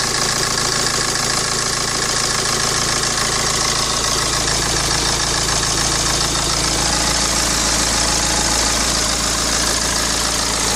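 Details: BMW 116d 2010, N47 2.0 diesel 115 hp, stationary idle: steady idle with fast, fairly even metallic rattle about three beats per second on top; idle rattle, timing chain suspected.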